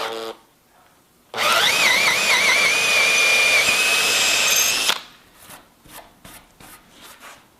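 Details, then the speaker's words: Cordless drill on speed setting 2 (faster, lower torque) running freely: clean high whine rising quickly then holding steady, no rattles or grinding; normal high-speed running. "on setting 2 the drill spins faster but it's great for doing jobs like drilling holes in timber"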